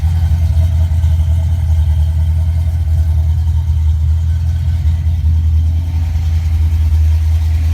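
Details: 1988 Mustang GT, 5-speed, with a rebuilt A9L ECU and a Pro Comp upper/lower intake that is cracked but thought still working. Deep, steady V8 rumble at idle, even and smooth with no misses, knocks or surging; fuel pressure about 30 psi.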